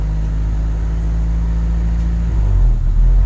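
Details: 1996 Honda City with check engine light and high, fluctuating idle: low steady drone that swells and dips unevenly, erratic hunting idle from a faulty coolant temperature sensor.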